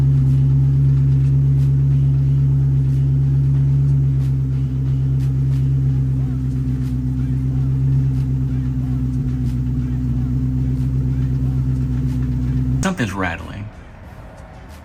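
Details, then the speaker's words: Supercharged Coyote-swapped SN95 Mustang idling in park after transmission reinstall: a deep idle with a fast metallic rattle of about four a second, then shutdown. The source is unknown, with the transmission and torque converter previously suspected; an exhaust rattle. "All right. Well, that rattle is coming from something."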